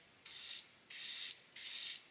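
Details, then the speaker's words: Brand-new Gaahleri Mobius TG 0.5 trigger-grip airbrush spraying paint: three clean, strong high-hiss bursts of about a third of a second each, starting and stopping crisply; heavy paint flow with good coverage, spraying normally. "this thing is going to really pour the paint on if you want it to so we'll just see what this is like now"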